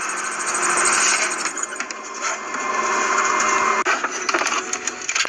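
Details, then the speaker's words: Kyocera M3660idn laser printer making a copy: loud, harsh screech from the rear, from dry exit guide rollers near the fuser rubbing their shafts; fixed by greasing them with multipurpose lube. "that was a loud screech coming out from the back of the printer"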